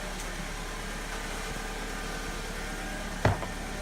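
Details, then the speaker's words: 2002 Alfa Romeo 147 2.0 Twin Spark after replacing an internally intermittent ignition coil: soft, steady idle with an even low hum and one brief click near the end, no stumble, "purring like a kitten"; misfire fixed, normal idle. "Okay, there we go. Purring like a kitten."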